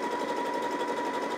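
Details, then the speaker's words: Janome JW8100 sewing machine after rethreading and removing a leftover bobbin thread strand: steady, even whirr with constant pitch and no catches or thumps; stitching smoothly, earlier mess was operator error. "that sounds a lot better sounds very consistent i think it might have been that string that i left in there"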